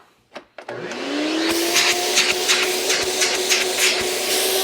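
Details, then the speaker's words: Hoover Celebrity QS canister vacuum during repair testing, checking suction: the motor spins up to a strong, even high whine and holds steady with no rattles or surging. Normal suction, all right for its age. "that sounds alright for its age in fact it is all right for its age let's see how much sucky sucky we got"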